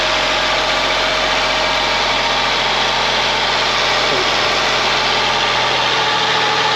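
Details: Ford Mondeo ST220 V6, engine neglected in the past, first run after reconnecting breather pipes and vacuum hoses, partly reassembled; steady even idle under a fair amount of hiss, no knocks, misses or hunting; normal idle.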